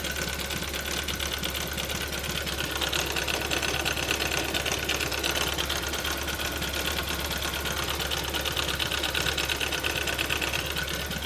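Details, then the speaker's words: 2006 VW Passat 3.6 4Motion at idle: a fast, even light ticking keeps pace with the engine and seems to come from the timing chain area. It persists after new camshaft solenoids were fitted. Cause unknown. "I still have kind of tapping noise from the engine I don't know what's going on I'll just start it out for you the sound is coming somewhere from the chain area I have no idea what's going on"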